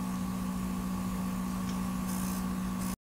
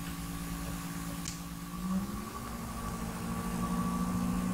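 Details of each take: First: PS5 recorded with a very sensitive mic at the vent slots, audio heavily amplified: constant thin whine with a low hum over steady fan hiss. Coil whine seems to rise as graphics load and the console is asked for more power. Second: PlayStation 5 cooling fan ramping up from menu screen, very sensitive microphone at the vent slots with heavily amplified audio; soft hum rising smoothly in pitch and settling higher, normal fan spin-up, not loud in normal use.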